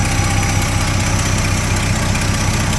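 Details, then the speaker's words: 1972 Chevy C10 pickup V8 at steady idle, pulsing about 2.5 times a second with no misses, after the distributor was loosened and rotated and carb cleaner and fuel were added to get it started; idles pretty well but still needs timing adjustment. "seems like it's idling is pretty good well they'll need adjustments"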